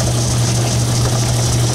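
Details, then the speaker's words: Logan 10-inch lathe after a new drive belt was fitted and glued: even, constant hum with a steady low drone and no slap, knock or grinding; it runs smoothly. "we're gonna fire it up and see if it worked seems to be running fine"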